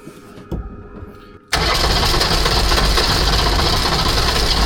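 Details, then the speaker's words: Rebuilt Mercedes OM617.912 diesel in a Unimog 404, rebuilt fuel pump, weak batteries, first start attempt: steady cranking about four beats per second, never catches; owner suspects it isn't getting diesel. "Lijkt wel of hij toch geen diesel krijgt."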